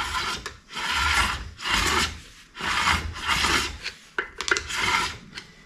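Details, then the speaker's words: VW transaxle bell housing being clearanced for an upgraded 12 volt flywheel and starter: flywheel turned by hand with a screwdriver gives slow rasping grinding scrapes in bursts, rubbing the bell housing where clearance is insufficient. "you can hear it grinding in there and as it's grinding that's leaving us a witness Mark of exactly where we're going to need to continue to clearance on this thing"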